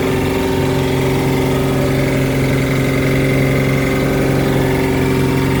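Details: Volvo Penta 4.3GL-E SX stern drive inboard V6 at steady idle: low, even thump under the engine note; knocking noise, source unknown.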